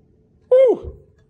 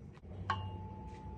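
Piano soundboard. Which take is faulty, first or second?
second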